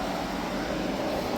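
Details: Hyundai small portable air conditioner after leak repair and refrigerant recharge (had blown warm after two weeks): steady even fan air over low compressor hum, no rattles or squeals; running normally, cooling nicely.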